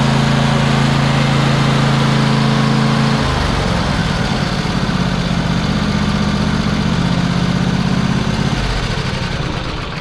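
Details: Poulan Pro 700EX twin-cylinder riding mower with the second plug reconnected, smoking as a long-unused cylinder burns off. Rough single-cylinder popping smooths within seconds into an even, steady idle on both cylinders; normal idle.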